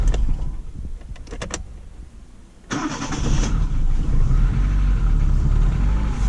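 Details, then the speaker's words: Daewoo Sens after starter reassembly with new brushes, battery still needing replacement: starter turns briefly, engine catches cleanly and settles into a steady, even idle without knocks or misses; normal start and idle. "стартер я установил что попробую всё чётенько отлично заводится все хорошо"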